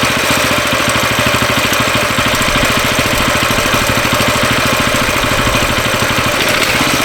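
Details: Coleman CT200U mini bike fired up on choke just after a carburetor replacement: small single running steadily with a quick, even popping beat and no odd knocks; a healthy start and idle.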